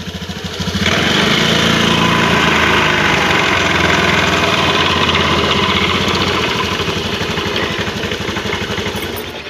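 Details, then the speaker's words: Honda Beat FI scooter with a coarse, chopping rumble from the CVT when revved, sounding like a helicopter; mechanic suspects a damaged roller housing in the CVT. "udah kedengaran lebih suara berisiknya ya nih kalau menurut analisa saya di bagian mollers Harvest di bagian itu ya"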